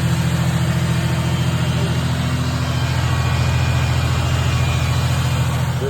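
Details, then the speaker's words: 1990 Ford Thunderbird Super Coupe, factory supercharged, revived after sitting dead about 3 years: steady, fast, even high idle with constant low drone; owner suspects a vacuum leak, propane test showed no rev change, and adjusting the idle screw didn't lower it. "Adjusting that screw did not change anything. It still revved up, and yeah, bummer."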